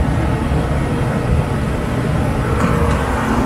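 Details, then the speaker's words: Dometic RV furnace, reinstalled after removal for access and sail switch work, gas fitting leak-checked, fired up: steady, even low roar of burner flame and blower with no rattle or sputter, and warm air reaches the vent; normal running. "so now we're going to fire it up and see if it works you can hear the burner now can't feel anything"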